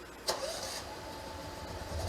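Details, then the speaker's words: Generator started by electric start/remote, often only on the second to fourth attempt; a short crank with a sharp click, then it catches and settles into a rough, building run; hard starting, cause unknown. "My generator has not been starting on the first start lately. It's been starting on like the second, third, fourth sometimes."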